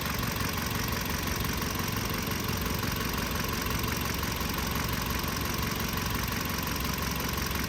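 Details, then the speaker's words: 2015 Kia Sorento with intermittent no-start and code P0340, after replacing both faulty camshaft sensors with used ones: engine starts immediately and settles into a smooth, even idle with no misfire, normal idle. "خلينا نجرب نشغل السياره ونشوف الاشاره اللي بتطلع من الحساس تشغل تشغل تشغل اشتغلت فورا"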